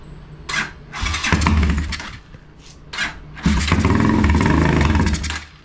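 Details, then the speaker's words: Motorcycle in for a tune-up, gravity-fed fuel: loud bursts of firing that rev briefly then die between tries, running only on fuel poured down the carburetor. Fuel isn't reaching the carb; the petcock is suspected. "it's loud it does its job but it's not getting fuel to the carboard which I find weird because it's all gravity fed"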